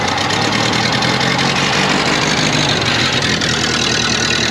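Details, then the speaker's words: 1931 Ford Model A Peach Flat four-cylinder, revived after sitting over three decades: even, steady idle with a smooth unchanging beat and no knocking or stumbling; normal idle. "This is a 1931 Ford Model A Peach Flat that we rescued and it had been sitting for over three decades. We got this thing running."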